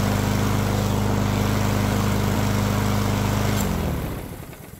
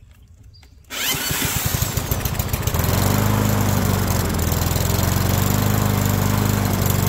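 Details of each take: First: Yard Machines mower after carburetor repair and fresh oil change, about 65°F: small single-cylinder engine steady, even fast beat, no misses or knocks, winds down smoothly at shutoff after about four minutes of running; runs great. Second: Yard Machines push mower, running at a steady fast pop with an even rhythm and no misfire, smoking while it burns off residual oil; suspected cause is the carb overfilling the crankcase and flooding the cylinder, and the smoke is clearing.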